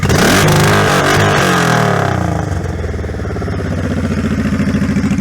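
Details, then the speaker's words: 2002 Honda Shadow 1100 C3 V-twin after a carb kit with new jets and shims, light, medium then hard revs: snaps up with a deep throaty roar and drops back to an even, loping idle; normal revving. "I'll give it a couple of revs for you. So I'll give you a light rev, a medium, and I guess a hard."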